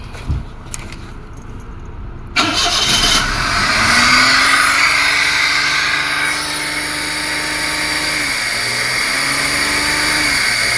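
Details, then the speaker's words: 2005 Toyota Passo after new relays restored current flow following a prior no-start: engine starts to a fast idle over 1,000 RPM that sags then climbs back instead of holding steady; idle control fault from a previous repair. "Okay, so now we're flowing current, but we still have a problem with the idle control."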